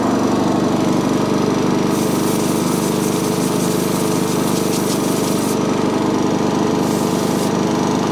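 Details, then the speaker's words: Sovereign lawnmower engine with misplaced governor spring, still not revving high after cleaning gunk and grime; runs steadily at low lazy speed and never picks up. "okay still not revving as high as i would like so what i'm going to do i'm going to start up again and then remove the pull cord very very gently"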